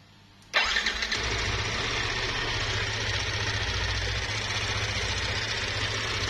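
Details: Yamaha NMAX scooter engine fires up and idles with a harsh, gritty rumble and busy clatter; noise checked with CVT and head opened, found loose play, worn camshaft bearing.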